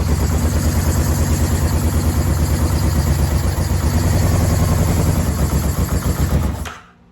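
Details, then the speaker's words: Yamaha VMAX 1200, sat about 5 years: lumpy, uneven idle at about three pulses a second, then revs sag and it dies with choke off; owner suspects clogged carburetor jets. "As soon as I put the choke off, he dies. So let's try it one more time."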